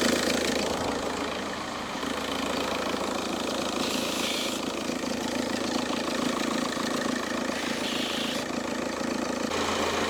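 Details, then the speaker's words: Car after its ITV inspection and an oil-in-coolant fix: at idle a light, jingling bell-like rattle about three a second rides over the engine. The belt tensioner, which moves a lot, is suspected but not confirmed. Belt-area rattle. "apreciáis el sonido suena el tensor escucháis suena el tensor va a ser el tensor el tema del sonido"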